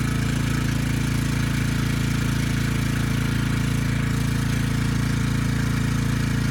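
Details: Briggs & Stratton Storm Responder generator, engine 21T212-0116-G1, previously fuel-flooded into the oil and stuck at TDC, governor spring tension backed off: slow, even single-cylinder thump with no misses or knocks; it makes power, and initial smoke burned off.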